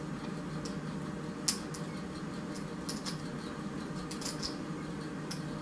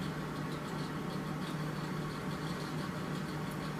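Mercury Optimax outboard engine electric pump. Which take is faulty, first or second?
first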